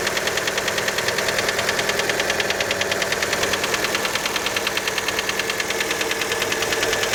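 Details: Fiat Panda engine after a cold start: a sharp, metallic, regular ticking knock, about two to three per second, over the cold idle. Many suspect the piston skirt, but this is unconfirmed.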